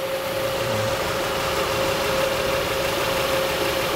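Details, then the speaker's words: 2004 Acura TL 3.2L after engine replacement: steady, even idle with smooth hum, no knocks or ticks; check engine light off, runs cleanly. "okay now it's running smoothly check engines light not flashing or anything not even on anymore"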